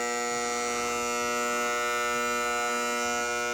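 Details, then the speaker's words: 1976 Bally Flip Flop pinball, first power-up after reassembly with cleaned relays and switches and new coil sleeves: a steady, harsh, one-pitch electrical buzz as the 100-point relay hangs up, probably from a 100-point playfield switch fouled by old rubbers. "well shoot we do have a noisy relay see if we can locate it real quick"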